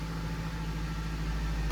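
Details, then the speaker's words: 2000–2011 Ford Focus idling after fuel filter replacement, with the key cycled several times first to rebuild fuel pressure. Quiet, steady low idle with no stumbles or surging; sounds normal. "We'll go ahead and start it. And I'll just let this idle for a little bit"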